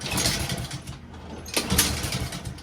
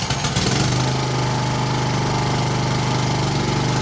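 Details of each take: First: Honda-powered Husqvarna self-propelled lawn mower: small engine fires, runs ragged a few seconds, sags and cuts out; starts but won't stay running, carburetor cleaning planned as fix. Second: Honda-powered Husqvarna self-propelled push mower, single-cylinder, after carburetor cleaning (previously started but wouldn't stay running): starts right up and runs at a steady, even speed with constant drone, no surging or misfire; normal running.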